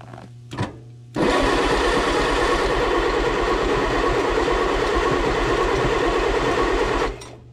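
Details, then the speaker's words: 1957 Allis Chalmers IB tractor, stored a couple of years, after a bad starter solenoid was fixed. Now turns over beautifully at an even brisk rate for about six seconds, with no firing while spark is being checked via the coil and plugs. Cranks, no start. "so the beautiful thing about these old things about having the coil and spark plugs it's very easily able to tell if you had spark or not"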